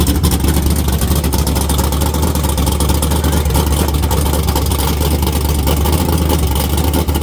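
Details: Naturally aspirated LS V8 in a Camaro with a carburetor, a large plenum and a cam under 240 duration, with good ring seal; loud, choppy, even-loping idle and crisp, snappy revs from a healthy engine.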